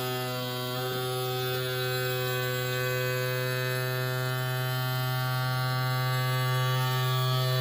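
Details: Yamaha F40 outboard power trim motor, previously slow and loud, after trim repair: smooth, steady electric hum at constant pitch, no grinding or straining; works much better than before, normal operation.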